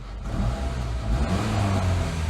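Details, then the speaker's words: Chevy Cavalier with Ecotec 2.2, 89,000 miles, starts right up: smooth, even low idle, great runner with no misfiring. "great runner no misfiring"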